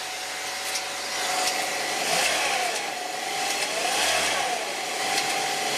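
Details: 2007 Saab 9-3 1.8T engine, cold: dry, tinny clatter that comes and goes with revs and disappears after about five minutes once warm; balance chain rattle, cured by replacing the balance chain tensioner and broken guide.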